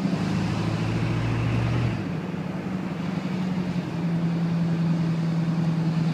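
Cold diesel running loud and rough with a deep droning tone that shifts pitch partway; the source of the noise isn't clear. Cause suspected, not confirmed.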